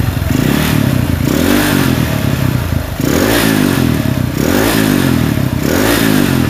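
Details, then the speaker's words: Honda CG motorcycle engine: repeated throttle blips rising and falling with rough clattering shake, grip vibrates when revved; engine has a problem, cause unknown, crankshaft condition uncertain. "dan ini adalah suaranya apabila jelas dengan suaranya maklum diakan bisa jadi H alam intinya motor ini bermasalah"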